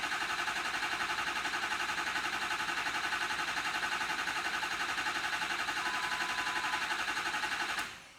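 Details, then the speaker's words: Ford F350 6.0L diesel crank-no-start, reassembled after repair: starter drags the engine over slowly and evenly, about four compressions a second, no firing, batteries getting weak before a jump box is added; slow cranking, weak batteries. "Let me put a jump box here because these batteries are getting weak."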